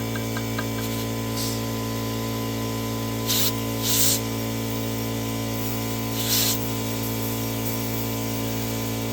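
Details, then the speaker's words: New Holland skid steer tire leaking air around the rim, being inflated with green tire sealer: steady compressor hum with short, sharp hisses as air escapes past the bead and the sealant seals it while pressure builds. "I can hear it popping on now. Wherever the air is escaping, that goop is sealing it up."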